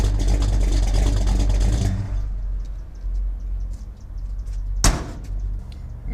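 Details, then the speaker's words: V8 after new Holley 4150 carburetor is sorted out: deep even rumble for a couple of seconds, then a calm smooth idle with a door shutting; sounds healthy. "that's what I'm talking about. She's running beautiful. Sounds good, makes all the right noises."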